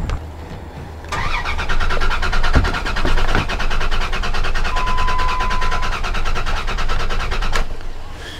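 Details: Dodge Dakota no-start: starter cranks the engine at a steady even rhythm for several seconds but it never fires; testing found no fuel pressure; stored cam sensor code unrelated.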